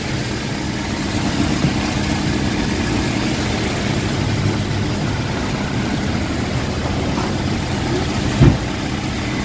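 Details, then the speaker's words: Toyota Revo after replacing the worn tensioner/idler bearing that caused a grinding noise near the power steering: smooth, even idle with steady low hum, no grinding or whirring from the belt side; normal idle. "Tara pakiramdam natin kung okay na ba yung tira natin go okay na yung ano wala ng ah Ingay bago na okay guys okay okay"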